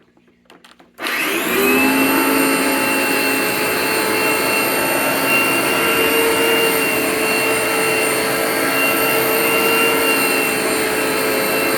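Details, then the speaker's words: An IONA/Fantom NovaDry (Capture) carpet cleaning machine, thought to be a former parts donor whose stripped gear was repaired, is switched to vacuum mode after dispensing and brushing. The motor spins up to a steady, even whooshing roar and hum, and the sound changes slightly. Normal running. "And you can hear a slight change in the sound. So I believe based on how you manipulate this, it'll open an airflow duct to let the suction come into the carpet,"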